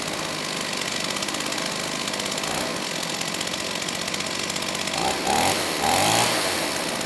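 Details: STIHL 028 AV Super two-stroke chainsaw, burned up from running on straight gas and rebuilt by an inexperienced friend with non-OEM parts, at high idle with choke off after carb adjustment: speed keeps hunting and stumbling instead of settling, poor response off idle, lean at high speed; crankcase air leak.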